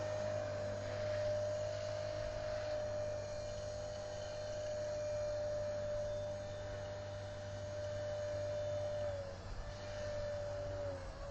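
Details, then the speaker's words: Walkera V400D02 RC helicopter with brushless motor, after replacing gear with chewed teeth, flying at lowered 3650 head speed: steady high rotor drive whine at even pitch, slight dip near end; smooth, stable flight. "it seems to be okay I might try it out for a while still seems to be fairly stable at that head speed"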